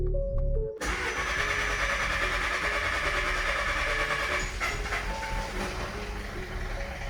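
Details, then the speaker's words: 2015 Audi A3 1.4 TFSI petrol: cranks and catches, then runs rough and won't idle, sounding like a tractor with uneven knocking; low oil pressure warning shown; suspected bearing knock, engine believed done for. "This thing sounds like a proper tractor. It's not idling, but it did come up with a warning also for low oil pressure, so you're just gonna have to take my word for it."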